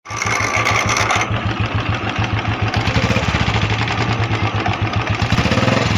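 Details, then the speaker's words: Royal Enfield Bullet Classic 350 at idle: steady thump with fast loose metallic rattle on each beat; starter (self) clutch bearing rattle, as its spring broke and the balls strike the housing. "Friend य आप देख सकते हैं royal एफी but 350 है इसमें य आवाज आ रही थी इसकी सेल्फ की बेरिंग की आवाज थी"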